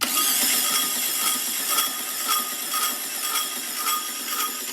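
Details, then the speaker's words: 1967 VW Karmann Ghia, abandoned 45 years, first start attempt: repeating metallic scrape and rasp about twice a second while cranking; starter scraping, flywheel looks warped or dirty, cause uncertain. "all right whoa that sounds weird doesn't it what is going on in there it doesn't sound right sounds like something's scraping what is going on that's weird try it again [Music] that starter sounds weird or something"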